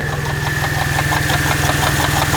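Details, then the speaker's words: Mercedes SL 350 at idle, microphone down by the water pump: fast rattling patter and a thin constant whine near the front; pump bearing worn and leaking coolant. "Down here is the water pump. And she is kaput. I've got to get that replaced."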